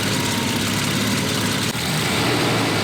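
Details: 1973 Volvo 164 petrol six at 96,000 miles, first start after brake work and oil change, idling smoothly and evenly with a steady low hum, no knocks or misses; slight exhaust leak noted.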